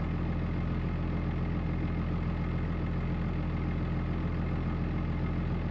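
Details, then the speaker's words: 2005 Ram 2500 diesel after FASS lift pump and fuel line replacement: steady, even low clatter at idle settling down smoothly; no misses, knocks or hunting, oil pressure good, normal idle. "sounds good all right oil pressure looking good yeah I think we're getting there"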